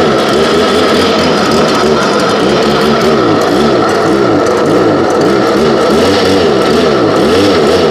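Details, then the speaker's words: Two-stroke BJ86 unit, stored 5 months on ethanol-free fuel without stabilizer, about 30°F, started on choke and primer, still cold: loud high drone that surges and wavers unevenly; running a little rough. "my okay still cold but it fired up which is all we care about at the moment sounds like it is running a little bit rough"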